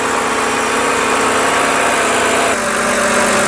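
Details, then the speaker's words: BMW X-series at idle right after an oil change, checking for leaks: smooth, steady idle with an even hum, no knocks or ticks; running normally, no leaks. "So as you can hear, the engine is running. We don't have a leak around the engine."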